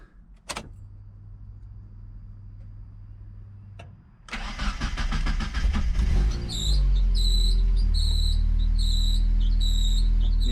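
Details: Mazda Miata with a 1.6-to-1.8 engine swap, first start on jack stands: it cranks, catches and idles with a sharp high chirp about every two-thirds of a second from a squeaky accessory belt, while the exhaust stays quiet and the idle is untuned.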